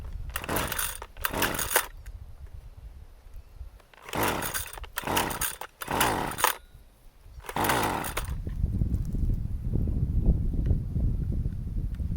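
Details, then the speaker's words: Husqvarna 128CD trimmer after new ignition coil, carburetor settings reset to initial positions: sharp revving bursts dying between pulls, then ragged uneven idle with a backfire; runs worse than before. "Not a good sign. I think it's worse now."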